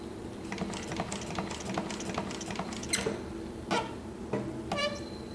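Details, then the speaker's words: Juki LU-1508N walking foot machine converted to the 190 needle system (#20 needle, 92 thread) sewing about 1/2 inch of leather: slow clatter with high chirping squeaks from the throat plate rubbing the feed dog, fixed by loosening its screws. "Okay, the squeaking just was from the throat plate rubbing against the feed dog, so I loosened up the retaining screws there and just let that plate kind of find its happy place again, and squeaking looks like it's more or less"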